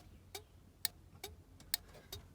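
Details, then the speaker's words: Austin Allegro 1300 SDL with the hazard switch restored from a looped bypass: crisp relay clicks about every half second in a quiet cabin. The hazard flasher relay cycles normally and all hazard lights work; the switch may be temperamental. "the hazard relay flicking and we have the full set for hazard warning lights working"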